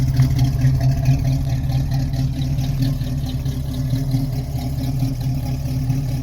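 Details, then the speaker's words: 1968 Chevrolet Camaro V8 with stainless exhaust, two separate pipes: deep, even burble at steady idle around 600 rpm, no miss or hunting; healthy idle, responds well. "Je crois qu'il n'y a quand même pas mieux que le bruit d'un V8 au ralenti. Et il tourne à merveille. 600 tours minute au ralenti, impeccable."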